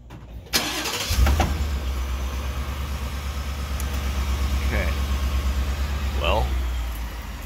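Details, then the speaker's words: 2018 Ford F-150 5.0L V8 with 10-speed automatic, warm start after driving, fires with a sharp clunk then settles to a steady idle; driveshaft moves on some starts; clunk never on cold start; owner suspects the starter, unconfirmed. "This is um, pertaining to the starter making some weird clunking sound that just doesn't sound good some of the times. It's usually after I've already driven it, it's warm."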